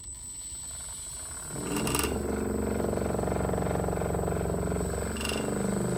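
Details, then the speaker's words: Antweight combat robot spinner blade (Fingertech parts), first power-on test held in hand: brushless motor winds up to a steady whirring pitch and holds evenly, with handling clatter; clean, healthy spin-up. "so with everything finally attached i powered it on to test the blade for the very first time of course in the safest way possible"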